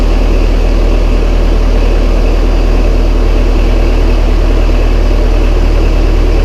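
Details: Massey Ferguson 135 tractor, first start after oil and filter change and valve adjustment, high-low in neutral; low steady thumping idle about three and a half beats a second; starts straight up and runs healthy.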